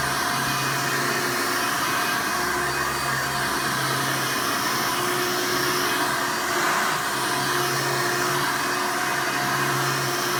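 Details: 1988 Hoover Elite vacuum running after its worn motor was replaced with one from a trash-picked 1995 Hoover: a steady, even motor whine and constant airflow rush with no surging or rattles. Suction is much better, so running is healthy.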